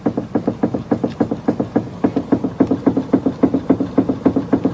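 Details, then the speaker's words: F30 BMW steering rack: a steady string of dull clunks, about three or four a second, while turning the wheel. Likely cause is the steering rack screw mechanism; it can be retightened, but replacement is recommended. "The first one I'm going to show you is what a follower on Instagram sent me, video of his steering rack making a clunking noise."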